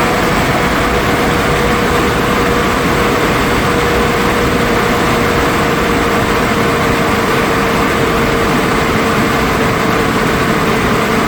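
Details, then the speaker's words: 2002 GMC Envoy after fan clutch replacement, engine idling: even fan rush and faint steady tone, no squeak or clicking as before, fan slowing down more than the old clutch; normal fan clutch operation. "well it sounds like it's doing its job it's slowing down definitely a lot slower than the previous one was actually feels like it's running better too"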